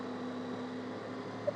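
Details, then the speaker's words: DC shunt motor fed via rectifier, speed raised by field rheostat to about 1900–2152 rpm on tachometer: smooth even hum, steady tone, no knocks or rubbing; healthy motor at high speed. "अब इस आवाज से भी आपको पता चल रहा होगा कि मोटर का स्पीड बढ़ चुका है।"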